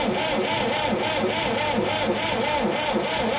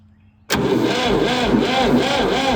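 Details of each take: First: Late-1960s/early-1970s Massey Ferguson 2200 forklift, Perkins 3-cylinder gas engine, sat 23 years: labored, uneven starter churn about three beats a second, never catching. A seized water pump was dragging the starter. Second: Late-1960s/early-1970s Massey Ferguson 2200 forklift, Perkins three-cylinder gas engine, unused about 23 years, after fixing a poor ground cable connection: even rhythmic cranking with no grinding; normal starter cranking.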